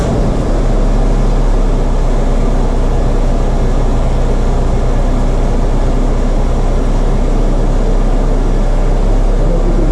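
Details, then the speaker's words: 2015 Suzuki Jimny Gen 3 petrol engine idling before repair: steady rough whirring and low drone from a worn belt tensioner bearing, to be replaced. "But let's start this motor quickly and then you just hear the noise that this bearing is making and then we can listen to it after we've changed it."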